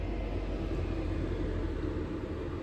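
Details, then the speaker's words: VEVOR 8kW diesel air heater in an M35A2/M109A3 camper truck just switched off: fan keeps running to cool down before shutting itself off, steady even whooshing hum with low rumble and no flame pulsing; normal cool-down. "that's turning off the fan is going to have to run for a while to cool everything down so don't worry about if you select off and you still hear it running"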